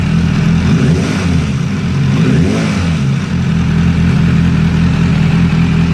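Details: Suzuki Bandit 600 motorcycle, hot engine, carbs synced at service, new chain kit, valve clearance not checked: steady low drone with engine clatter plus a buzzy vibration rattle when throttle is opened; vibration noise under throttle, cause unknown.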